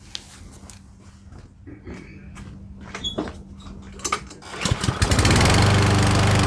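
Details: Certified push mower with a replaced oil dipstick, after fresh oil and fresh gas: clicks and pulls, then the engine catches and settles into an even, steady run with no oil leaks at the dipstick; normal running.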